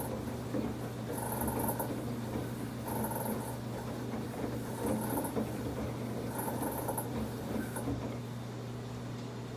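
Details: Samsung WF1124 front-loading washer drum makes a low growling rumble with a harsher scraping surge about every two seconds while turning; noise is getting more frequent, once loud only during spin, now loud during washing too.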